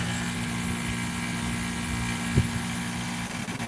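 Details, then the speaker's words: Modified Goodman condenser, fan blade hand-bent to 28° pitch and now about 1 inch into the shroud, fan on low speed at 86°F; steady low hum, even whir, no wobble or rattle. Normal low-speed fan operation. "So it's getting up there, so the fan is running on low speed."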